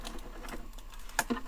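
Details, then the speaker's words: VEVOR manual hand-crank die-cutting machine, first use, cutting with a 3 mm plate on top: quiet cranking with a few sharp dry crackles as the plates pass the rollers; normal break-in crackling on first use. "Donc c'est normal si on entend des craquements hein au début sur la première utilisation, c'est tout à fait normal."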